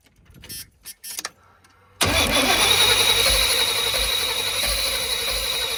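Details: 1990s Chevy 350 5.7 V8 campervan: a couple of clicks, then steady cranking about 3.5 beats a second that never catches; crank no start from fouled spark plugs.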